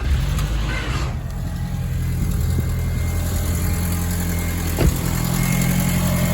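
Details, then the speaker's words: 2002 VW Golf GTI 1.8T AUM, 150 hp, 169,000 miles, cold start; lumpy uneven idle with stumbling beats, misfire on starting that settles once warm; owner suspects leaking secondary air pump system, coil packs not yet changed. "Now I'm having a misfire on starting and I've got a feeling it's related to this, which is the secondary air pump system."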